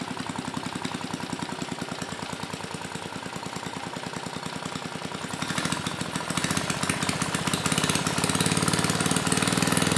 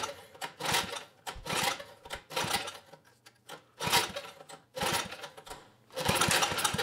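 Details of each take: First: Mid-1980s Troy-Bilt Junior tiller, 3 hp Tecumseh HS35 engine (H35-45593R), after carburetor cleaning; pilot needle tuned, idle about 1,000 RPM. Even, steady single-cylinder beat picking up slightly near the end, no misses or stumbles; normal clean running. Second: 1980s Troy-Bilt Junior tiller, 3 hp Tecumseh HS35 engine, main jet opened one turn: sputters in uneven surging bursts and dies away, carb barely working from water in it; governor did close the throttle plate.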